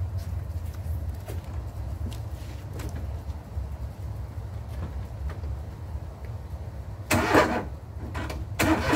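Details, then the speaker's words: John Deere mower after the start switch was rewired and the transmission disengage lever pushed back in. Engine catches and settles into a steady low idle with no misses, then a couple of sharper bursts. Starts, drives, runs and cuts normally. "Rewired the switch, starter's good, and she drives, runs, and cuts."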